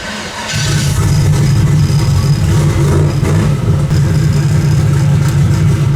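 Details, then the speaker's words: Turbo Nova engine after new valve stem seals, timing pulling six degrees on start instead of 20, temperature about 170: fires within half a second and settles into a strong, even, deep run with no misses or stumbles; starting and running healthy. "all right so i got my start [ __ ] pulling six degrees on start instead of 20. everything phased in temperatures up about 170."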